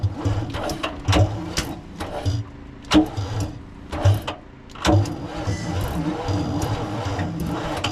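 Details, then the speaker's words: Old cabover diesel truck from scrapyard, last inspected 1993, on one possibly dead battery (maybe a 24-volt system): slow labored cranking in uneven bursts with rhythmic air-compressor pulse, turns over without firing. "Okay, that's the compressor pulling air. It cranks over."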